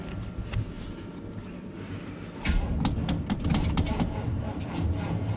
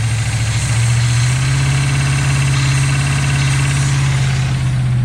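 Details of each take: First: 1976 GMC C15 Squarebody, long abandoned in a pasture, on its first start attempt: the starter turns the engine slowly and unevenly for several seconds without catching. Weak battery, slow cranking. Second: 1976 GMC C15 Squarebody truck, long abandoned in a pasture, idles with a low, even burble and steady throb after a battery-charger start, no misses or knocks; running well, choke still needs adjusting.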